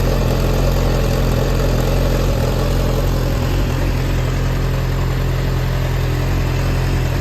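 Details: Yamaha XJR400 (4HM) engine assembly sold separately, start-check run, no abnormal noise or white smoke, compression tested: steady, even four-cylinder running with deep, smooth hum, no knocks or rattles; healthy.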